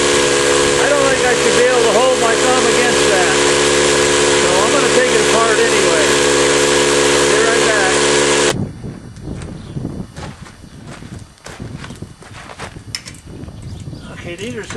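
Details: 20-gallon Campbell Hausfeld oil-less air compressor, head partly opened: steady motor drone with fast even pumping and hissy air rush for about eight seconds, then stops; weak output, some pressure at the port, suspected worn compression ring.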